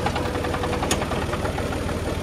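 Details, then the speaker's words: John Deere 5400 tractor idling: rough gritty rattle and a sharp clack; grinding possibly from shifting to park before hydraulics left reverse with clutch engaged, owner suspects broken parking mechanism, unconfirmed. "that is not a good noise because this tractor is so Ultra reliable"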